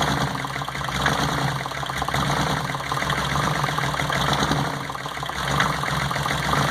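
Rough, uneven idle with an irregular stumble breaking up the beat; points to a misfire on one cylinder.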